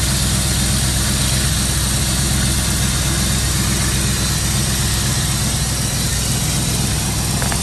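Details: 1992 Chevy Camaro Z28 V8 after installing new distributor cap, rotor, ignition coil and ignition module: steady deep idle with even low rumble, no misses or knocks; running clean and smooth.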